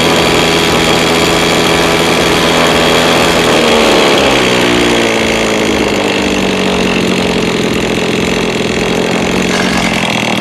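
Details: Lawn mower two-stroke engine that is hard to start and runs unevenly; buzz whose pitch sags and wanders instead of holding steady; engine hunts and runs rough.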